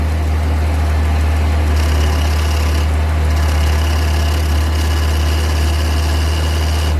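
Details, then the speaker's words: Car with power steering pump damaged after a burnout, engine idling: steady idle with a thin high whine over the deep drone, identified as the failing power steering pump. "Yeah, that would be a power steering pump right there."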